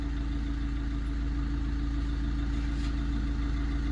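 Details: 2010 Maruti Swift, 102,000 km, idling after tightening loose timing chain that caused P0340 cam sensor fault and late starting: steady even idle, smooth low hum, no knocks or ticks; scan shows no fault codes.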